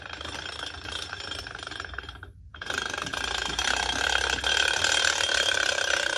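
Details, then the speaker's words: Giant flywheel-powered toy car with large machined gears: fast clattering gear-teeth chatter, about two per second, over a whirring spin. Builder suspects a poorly chosen gear or improper gear depthing; not confirmed. "Yeah, I know, I hear that rattling and I believe that means I've probably chosen not the best gear for this, or I've got them depthed improperly."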